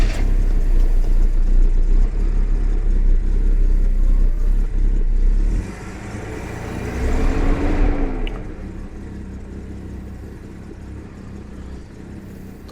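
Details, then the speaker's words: Jaguar XJC (XJ6) with Stromberg 175 carburettors, cold start after adjusting the water chokes: engine catches quickly and settles into a steady, slightly low idle without stumbling; a normal easy start. "like I said most important thing is it starts and that it turns off because I mean that was a that was a very easy start no problems"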